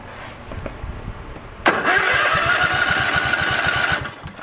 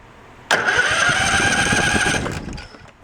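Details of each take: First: Craftsman riding tractor engine cranking: a steady whir with even pulses about four a second that never catches. There is no spark and little compression; the ignition coil is dead. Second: Craftsman riding tractor, pulled from a backyard, with a rusty part removed. A sudden strong whirring crank lasts nearly two seconds, then fades, with the carb not yet fueled: the starter now turns the engine over properly.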